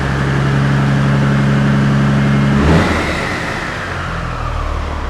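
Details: Peterbilt truck diesel after turbo failure, before intercooler cleaning or replacement: settles from fast run into even, steady idle, no knocks or rattles; good oil pressure, engine sounds healthy.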